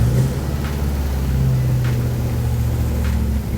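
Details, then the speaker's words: Lexus IS200 with an LS V8 conversion, first start: it catches quickly and settles into a deep, even burble with no misses or knocks. Oil and fuel pressure look good and coolant temp is rising. A healthy start. "that started pretty easy sick thanks dave got oil pressure fuel pressure they're both looking pretty good"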